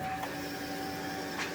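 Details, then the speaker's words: Dodge D100 hot rod truck with Holley Sniper EFI, electric fuel pump powered on after adding a fuel sump: steady even hum with a faint whine, no surging; fuel pressure holds steady, pump running normally. "that thing sounds so much better now though and that fuel pressure does not budge"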